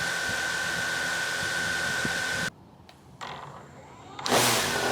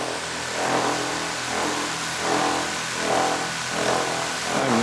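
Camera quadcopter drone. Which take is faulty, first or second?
second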